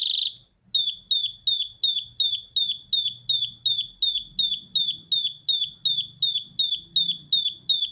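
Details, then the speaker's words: Alarm circuit board damaged by 220V instead of 12V, after repair; sharp high-pitched beeps repeat evenly at about 160 a minute, with the rhythm changed by touching capacitors of different values; the board beeps normally. "bakın ritim yine değişti yani bu şekilde ritmi değiştirebiliriz"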